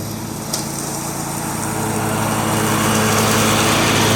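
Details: John Deere 345 with Kawasaki FD611V V-twin at about 490 hours, after revival repairs and a fuel filter change. Steady, even drone holding speed as it pulls under mowing load, no knocks or misses; runs smooth and uses no oil.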